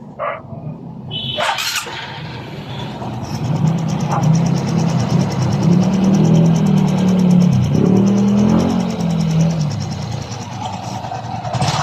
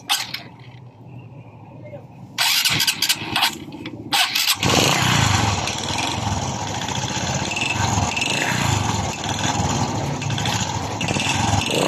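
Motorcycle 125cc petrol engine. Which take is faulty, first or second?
second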